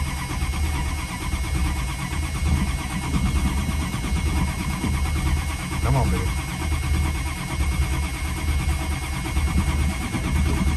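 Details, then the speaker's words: Classic Chrysler (Mopar) unstarted for two or three months, cranked in cold weather after pumping the pedal. Steady, slightly uneven cranking runs for seconds without catching; it was out of gas and ran after about a gallon was added. "oh now to be honest with you guys i think it just might be out of gas surprise surprise"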